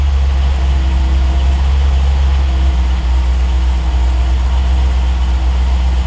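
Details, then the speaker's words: TR8 V8 on Megasquirt 3 Pro, cold start during warm-up around 70–100 degrees where it ran lean, while tuning: deep, loud idle with a slight uneven rise and fall; cold idle surge. "you know if you can hear it on the video but a little surge"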